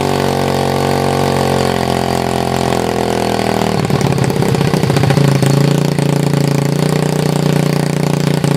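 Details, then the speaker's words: 2007 SSR pit bike with a $25 eBay carburettor, running on choke: revs drop to a rough, lean-sounding idle close to stalling; owner suspects a vacuum leak at the intake and spacer gaskets. "yeah I kind of when I let it idle down it kind of kind of leans out and stalls out and by the way that whole time it's running with the choke on"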